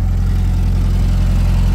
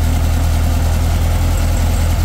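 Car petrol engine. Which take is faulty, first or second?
second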